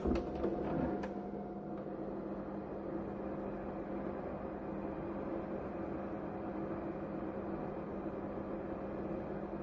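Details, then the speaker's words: Capcom CPS2 arcade board from the 1990s after replacing its loud original fan with a new 12V 60×60×10 mm brushless fan: low, steady hum with a faint even tone and no rattle or buzz; much quieter than before. "So as you can hear, the new CPS2 fan is considerably more quiet than the old CPS2 fan, and surprisingly so."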